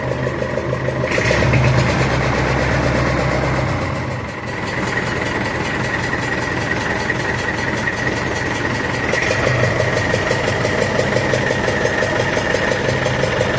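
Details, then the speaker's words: Massey Ferguson 65 diesel tractor after battery replacement, throttle slightly above idle to spin alternator faster: smooth steady diesel beat with even rhythm, no misses; normal fast idle while testing alternator output, aiming for about 13 volts. "We're going to put the throttle up just a little bit more than idle just so we can get that alter spinning a little bit faster. Make it sure it builds up fastly or nicely."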